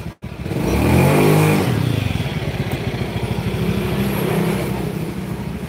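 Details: Honda Beat scooter after replacing CVT rollers and slider pieces (worn roller housing): revs up smoothly and settles, drive pulls evenly with no belt squeal or roller clatter; normal CVT operation after repair.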